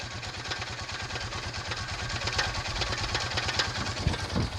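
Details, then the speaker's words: 2006 Honda Foreman Rubicon, cold start with very low idle and an uncleaned carb: fast, uneven top-end tick over the lumpy engine beat; owner suspects a valve adjustment. The noise goes away once the oil warms up. "but that does go away after it's warmed up and once the oil is up to temp"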